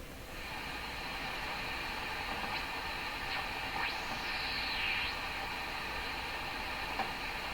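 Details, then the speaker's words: Hammarlund SP-600 receiver on the dual-conversion band near 15 MHz; fault thought localized to tubes 6, 7 and 8. Steady hiss with a few fixed birdie whistles and no stations; the receiver is deaf on this band. "It's the same birdie. I'm picking up a number of birdies here. It's just nothing making it through this radio."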